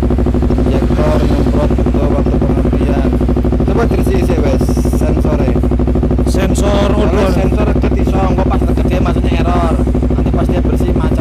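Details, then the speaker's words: Honda CBR250RR that, once hot, holds at about 7,000–8,000 rpm, then sometimes dies or feels hollow on throttle, with no fault codes. Repeated revving climbs, then sags back instead of pulling freely. "nah saat dipakai jalan di RPM tertentu ketika suhu mesin sudah mulai panas dia itu kadang kayak ngelimit kayak ketahan di RPM 7.000 8.000 gitu"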